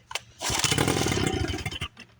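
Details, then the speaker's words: 1976 Johnson Seahorse 9.9 outboard, low hours, first run in over 30 years after repairs and rewound pull starter, run out of water: pull then rough rapid two-stroke buzz before dying back; it starts and runs. "okay I'm going to put the water on that's the first time it's runs in over 30 years"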